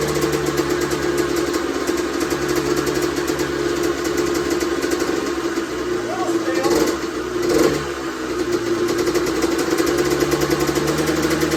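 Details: Honda CR125R two-stroke on its first start after a full teardown and top-end rebuild. It holds a crisp, steady idle with a couple of quick blips that rise and fall cleanly; normal running.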